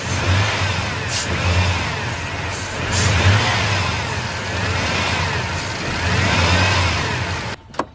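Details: V8 (owner thinks a 315), completely dead, jump-started using a Stanley FatMax booster: brief cranking, then catches and settles into a rough, uneven idle with a few blips; starts fine off the booster.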